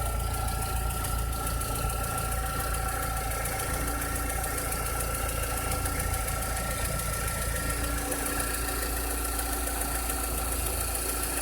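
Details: 2006–2007 VW SpaceFox engine at idle: a rough idle with an irregular knocking undertone over a low drone; a strange engine noise whose cause is not identified.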